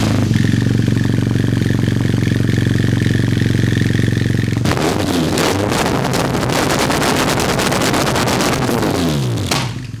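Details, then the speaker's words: BMW HP2 boxer twin after post-rally overhaul with sintered clutch fitted: steady idle then clean revs up and down, no misses or knocks; a bit noisy but running healthy. "So, the moped is running again and we are nice to our neighbors."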